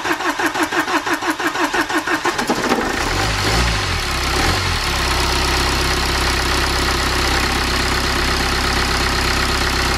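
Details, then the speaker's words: BMW N47 diesel after timing chain replacement: starter cranks about three beats a second, engine catches and settles into a steady, even diesel idle with no knocks; normal idle. "okay then so we finally managed to get these things started I'm so happy"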